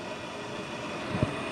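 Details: Bryant two-stage gas furnace with no heat, house at 54°F; draft inducer motor powered directly with 120 volts on its low-speed lead gives a steady, even whir with one brief thump, motor fine, so the control board needs replacing.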